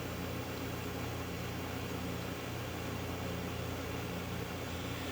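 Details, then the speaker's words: Whirlpool refrigerator, after replacing the bad start relay: with power reapplied, the compressor hums quietly and evenly with no clicking and runs normally. "now that power is reapplied compressor is on frequency sounds good"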